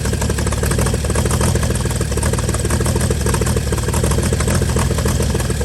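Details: 1955 Chevy inline six truck revived after sitting about 30 years, carburetor filled and leaking, just started: steady, even idle with regular low beat, no knocks or misses; normal idle.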